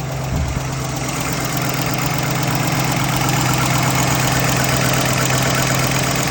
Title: Camshaft? Lifter tick? Piston slap?